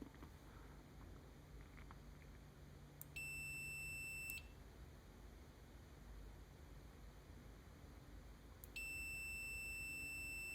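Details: Multimeter continuity test on a reassembled, cleaned computer mouse left-click micro-switch, about 0.1–0.4 ohms closed, checking the click lines up with the beep; two clean, steady one-second high beeps as the switch closes properly, considered fixed.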